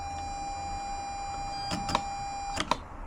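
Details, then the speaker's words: Datsun Fairlady roadster drive-by-wire conversion with a 350Z electronic throttle body: two bursts of buzzing and clicking over a steady high tone as the throttle motor tries to move but barely opens. Owner suspects it is moving backwards; cause unconfirmed. "Okay, so now I have it moved back over to our throttle body here for our drive-by-wire, and you can hear it's trying to move. And you can see the throttle attempting to move as well, but it just doesn't seem like it's actually doing anything."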